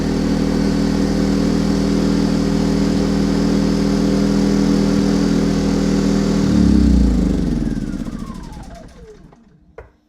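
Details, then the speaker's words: Milbank 2000 generator, a Yamaha clone, choked and run on fuel primed into the cylinder. It hums steadily for about six seconds, then revs sag and it winds down to a stop from fuel starvation; owner suspects old gas or a gummed carb. "okay well it ran until it ran all the fuel out of the cylinder I believe"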